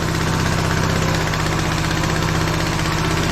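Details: TrailMaster Mini XRX go-kart, single-cylinder, electric starter worn out, choke cable sticking: engine putting along at idle with a steady, slightly uneven beat about four per second; runs fine.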